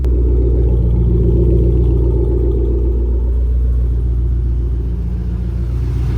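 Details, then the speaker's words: Startup after X-pipe leveled and exhaust rubbing on chassis fixed; loud, even, deep idle with steady beat and no hiss or ticking from the exhaust, no leaks, normal idle. "No, nothing leaking. Feels good."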